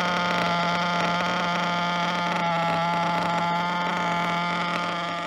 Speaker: right so the breaking fuel which this break has been going pretty good you're going pretty good uh she's starting to idle like nothing no problem